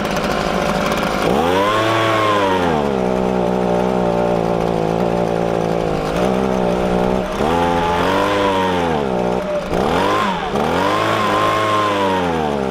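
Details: Warmed-up Echo ES-250 leaf blower (same engine as PB-250): idles evenly, but each throttle blip climbs then sags and falls back, bogging with about half power; lean high-speed carburetor mixture.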